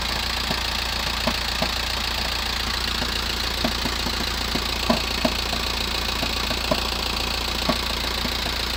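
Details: VW T5 1.9 diesel, 102 hp, cold start after sitting 24+ hours: a low idle drone with sharp, uneven knocks a few per second. It lasts about 7 minutes, and the rattle stops when the clutch is pressed.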